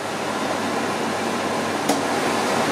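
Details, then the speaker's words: Keops HK 90 X cooker hood after greasing the motor shaft bearing plates, second speed: steady, even airy rush, one faint click, no scraping. Fan runs normally. "vitesse donc là il y a plus de bruit c'est nickel"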